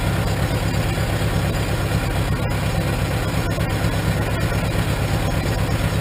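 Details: 1947 Farmall M tractor with a Farmhand loader, started after sitting two to three weeks: steady, low, even chugging idle with a slightly loose beat, no knocks or misses; owner suspects a slight carbon hiccup; normal idle.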